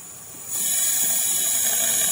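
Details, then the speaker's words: Nissan Maxima fuel pressure regulator bench test at 34 psi with vacuum applied: steady high hiss of fuel flowing through the return, which stops when vacuum is removed. Normal return flow. "i'm at 34 psi and you can hear it just flowing right [Music] blowing air if i remove the vacuum you can hear it stops"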